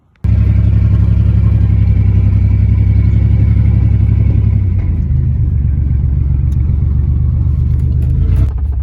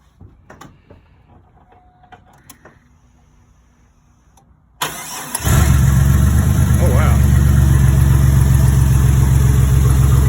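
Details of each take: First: Turbocharged 4.3L 2001 GMC Sonoma under hard acceleration with custom turbo kit; a spark plug wire had popped off, so it likely ran on five cylinders: deep, lumpy, uneven exhaust rumble — misfire, one dead cylinder. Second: Turbo 4.3L V6 in a 2001 GMC Sonoma with a custom turbo kit and replaced factory intake manifold, fired cold before warm-up, settles into a deep, steady, even idle with a V8-like rumble; running healthy.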